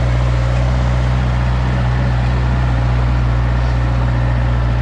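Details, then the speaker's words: Used truck-mounted Moffett forklift under load in a sticky spot: deep steady labouring drone that bogs down without spinning the tires; owner suspects a weak hydraulic pump or fluid bypassing the pistons. Cause not confirmed. "um it fogs down but it doesn't spin the tires it just kind of it sounds like um hydraulic fluid seeping past the Pistons or whatever like it's just not enough pressure sure to keep going like that sound that sound right"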